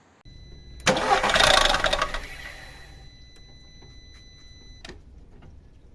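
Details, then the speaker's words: Cold-start timing chain rattle on a VAG 1.4 TSI (engine code CAXA) fitted to Seat Leon and similar models: a harsh metallic rattle for about a second as the engine catches, then a quieter idle; chain already stretched, chain and tensioner being replaced. "well we are going to do the distribution we are going to start by making a little space here and I am going to give you the noise that the distribution made in case you don't"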